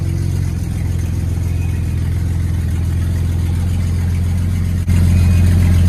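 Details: 1965 Mustang on a modern frame, engine idling through a shorty header-style exhaust that stops short but is sealed; deep, steady low rumble with an even beat, no ticking or puffing, a clean normal idle.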